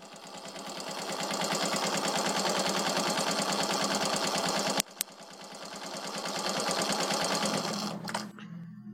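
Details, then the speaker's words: Suzuki Shogun 125 single at idle, smoking with burnt oil, weak compression, low power: harsh rapid metallic rattling knock from engine; piston problem diagnosed before teardown. "Nah. Bisa didengar ya, kasar tuh. Ada bunyi kretek dari sebelah sini, dari mesin."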